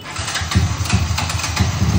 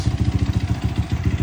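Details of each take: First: Sniper 155 engine, downgraded from 210cc to 192cc, fresh rebuild with NMAX valve springs, first start: quick, even exhaust pulses settle to a smooth, quiet idle with no knocks or ticks. Only the clutch housing is noisy, tolerably. Normal idle. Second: Sniper 155 engine, downgraded from 210cc to 192cc, fresh rebuild with NMAX valve springs, first start: steady idle pulsing about ten times a second with a loose metallic chatter from the clutch housing, tolerable, engine itself quiet. Clutch housing rattle at idle.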